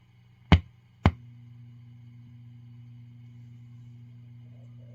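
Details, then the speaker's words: Peavey Classic 30 II valve amp with JJ valves: 3–5 minutes after warm-up and standby on, two sharp pops are followed by a steady low mains hum. Caused by PCB flux residue found on the board on disassembly. "But within like 3 to 5 minutes later, you hear this pinging sound, and then all of a sudden it starts to get a really bad background hum."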